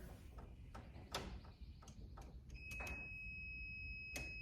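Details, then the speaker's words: Ceiling outlet install for a cord reel, breaker on: a voltage tester (hot stick) on the wire gives a steady high-pitched beep lasting over a second, confirming a live hot wire. "hear it hear it so this is my hot wire"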